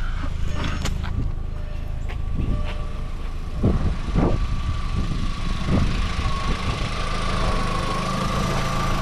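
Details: 2004 VW Golf 2.0 idling with the new A/C belt fitted (old cracked belt had squealed with A/C on), A/C compressor just switched off. Steady, even idle with a faint constant whine, a few handling knocks, and no squeal or chirp: normal idle.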